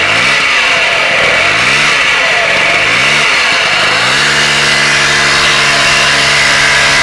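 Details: Piaggio Vespa Ciao two-stroke moped: thin buzzy note sweeping up and down with throttle blips, steady high whine over it like a vacuum cleaner; cause unclear.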